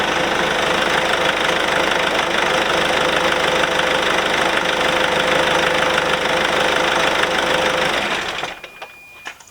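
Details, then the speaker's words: Engine idling smoothly with no belt noise after the alternator and belt tensioner were replaced and a new belt fitted, then shut off leaving faint clicks; the earlier noise is gone. "moteur et ben voilà je te disais tu vois ça fait plus de bruit"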